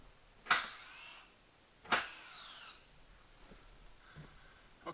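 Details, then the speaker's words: Chevy Silverado 4x4 on hoist after replacing front axle actuator with Dorman part: two short whirring clunks about 1.5 s apart as four-wheel drive is selected, crisp and quick; actuator now engaging properly, 4WD light on. "so now we know our actuator's working now we'll go test drive in the parking lot just to confirm it"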